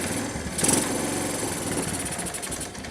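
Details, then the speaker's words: 1986 Kawasaki KLT185 three-wheeler, long-sitting, revived, in neutral with a slightly sticking throttle: single cylinder blats unevenly and bogs instead of revving when the throttle opens; owner suspects a partially stuck choke or a worn-out carburetor. "NOP she don't want to rev up very well but that's fine baby steps baby steps I don't know the choke might be stuck partially"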